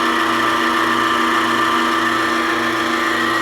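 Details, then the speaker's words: Maple sap house vacuum pump and motor after redesigned mounting plate to save couplings: steady even hum, much quieter, no vibration or knocking, vacuum building to almost 19 inches; normal running. "it is so much quieter now no vibration"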